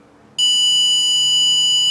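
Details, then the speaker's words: Power Probe IV on its voltage test screen with a 21-ohm resistor in the circuit, battery at 12.65 V: a sudden steady high-pitched whistle holds without wavering, warning of a voltage drop in the circuit. "and it does. So it is important to know, at what point, it's going to blow the whistle on us."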